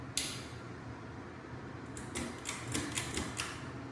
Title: Harbor breeze ceiling fan with a bad capacitor.